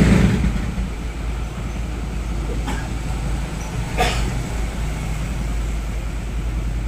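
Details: Suzuki Raider J110 that would not start, after repairing two broken wires and restoring the stock rectifier wiring: small single holds a steady, even run with no misses after a quick blip; healthy.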